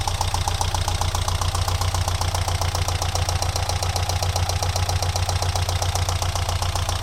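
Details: Alfa Romeo 166 2.0 TS at idle: sharp, very regular knock about 2.5 per second locked to engine speed, appearing after head gasket replacement; tappet buckets ruled out, variator checked; stethoscope places it right side near cylinders 3–4, source undetermined.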